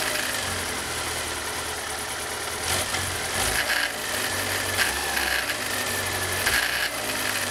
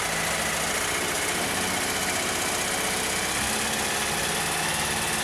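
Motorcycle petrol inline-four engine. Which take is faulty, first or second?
first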